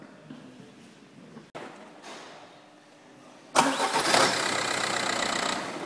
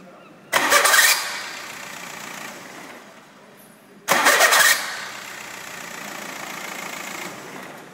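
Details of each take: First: VW diesel car after starter motor repair (stripped mounting bolt thread in housing repaired, new bolt, worn brushes replaced): quiet lead-in, clean crank, engine catches and settles to steady run with no screech on disengagement. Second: VW diesel car, two starts, each with a harsh half-second screech as the starter disengages from the flywheel; cause was a mounting bolt with pulled threads in the starter housing, plus badly worn brushes.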